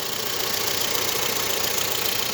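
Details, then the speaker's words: VW Saveiro at idle after a timing-belt job with the crankshaft timing mark aligned and the belt checked. The earlier engine drone is gone, leaving an even, steady idle hiss with no rhythmic roar or bearing growl. "vou funcionar que vai ver se o filé o barulho vai Gabriel a já acabou a ronqueira que tava no motor"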